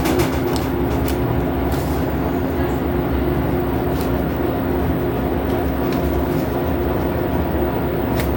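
Constant deep rumble with a steady droning hum and occasional knocks throughout the cycle; machine is shaking, cause unclear.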